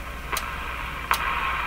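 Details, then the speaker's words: General Electric KL-70 AM/shortwave radio on the 19 metre band, suspected weak: steady soft hiss with two sharp clicks and no signal, quieter than 25 and 31 metre bands; background hiss. "this is the quiet 19 meter man you hear it got even quieter listen"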